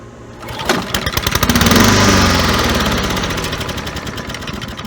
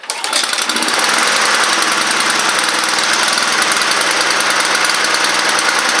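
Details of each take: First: Neglected Honda Harmony II push mower, pull started on starter fluid: catches and revs hard, then the beat slows and fades as the fluid burns off; fuel delivery still suspect. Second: Honda Harmony II HRR216 push mower, neglected, after tightening leaking carburetor bowl: fires right up and holds a steady, high, even buzz with no surging or missing; normal running.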